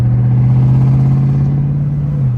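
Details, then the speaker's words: Jeep Trackhawk on its first drive with a brand-new transmission after the old one blew: strong low engine drone under steady acceleration, pitch easing through smooth shifts with no clunk or slip; transmission working normally. "look how she shifting man you know what I'm saying man I missed that bro I missed that"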